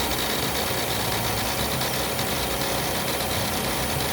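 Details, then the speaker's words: Fiat Uno Vivace Way at idle: dense whirring rattle from the alternator belt area, nearly silent with AC off, much louder with AC on; cause not identified. Accessory belt area noise with AC on. "agora o problema é mais quando eu ligo o ar condicionado tá vendo vai quando ligo o ar aqui tá com uma desligada agora quando ligo o ar condicionado aí a coisa piora"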